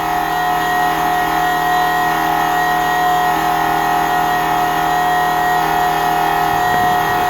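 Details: Even, constant high-pitched hum with no surging or rattle from a Fuelab fuel pump in low-speed mode, first startup of a custom fuel system on a 1999 Nissan Frontier SE VG33E turbo, air purging from lines; normal fuel pump operation.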